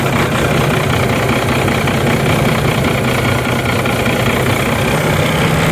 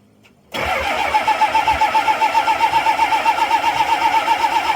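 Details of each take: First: Six-cylinder diesel bus running again after clearing water from the fuel filter and repriming, possibly rough at first: steady, even idle with a constant low drone and no misses or stumbles. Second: 7.3 IDI diesel, glow plugs deliberately disabled; starter cranks steadily at about four compression strokes a second, never catches; no-start without glow plug heat.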